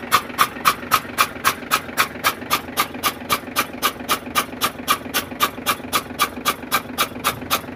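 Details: FAW truck diesel with water in one cylinder, cranked with that injector removed to clear the water before refitting: steady cranking at about four strokes a second, each with a sharp hissing puff of water blown from the hole.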